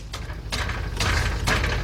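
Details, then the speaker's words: 2004 Nissan Maxima with a rattle under the front while driving, exhaust tap test: sharp metallic taps with a tinny buzzing rattle toward the back; loose exhaust heat shield, rotted out. "sounds like something rattling toward the back all right let me go further back and see what we can find be right back"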